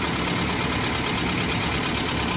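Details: 1991 Mazda B2200 truck just started after converting from an electric in-tank to a mechanical fuel pump, fuel pressure about 4.5; smooth, steady warm idle with no ticking or knocking; normal idle.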